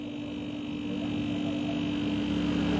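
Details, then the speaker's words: Refrigerator compressor that was not starting, only clicking, now fitted with a good overload protector: steady low even hum with no clicking or cycling, drawing 1.0-1.1 A; normal compressor running. "ini dia akan berjalan dengan normal ampere 1,0"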